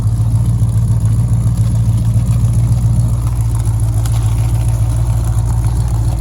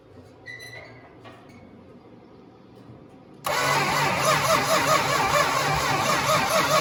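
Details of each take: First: 1969 Dodge Charger 500 barn find, first running after 27 years dormant, fuel system still needs work, slight coolant leak: deep, steady idle with even low pulse around 3–4 per second, no knocks or misses; normal idle. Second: 1969 Dodge Charger 500 barn find, dormant 27 years, new plug wires and thermostat, gravity-fed fuel: starter churns steadily about seven seconds, roughly two beats a second, never fires; crank, no start.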